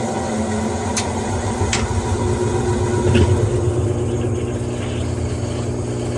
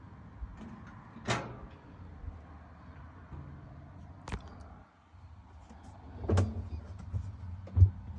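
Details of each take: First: Whirlpool top-load washer after tub hub and wash plate replacement, which had failed to spin and made a weird noise: steady low churning rumble with light irregular clicks, no grinding; normal washer agitation. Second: Whirlpool top-load washer: low steady motor hum with scattered sharp clunks, basket never spins up; tub hub suspected of not engaging, to be checked by removing the wash plate and replacing the hub.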